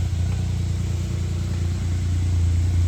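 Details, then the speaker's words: 1996 Suzuki Jimny K6A JA22W RHD, soon after cold start: deep, low exhaust burble rising slightly with revs, steady rumble, no rattles or leaks; normal exhaust note. "Here's how the exhaust sounds. Very good. Very low. Has a nice deep sound to it."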